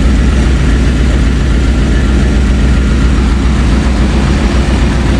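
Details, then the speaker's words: Jeep ZJ Grand Cherokee 5.2 after replacing a howling, leaking water pump: loud, even low idle rumble with no grinding or rattle, much quieter than the old pump's spoons-in-a-blender noise; normal idle. "Oh man, that's much quieter. It sounded like spoons in a blender. That was rough."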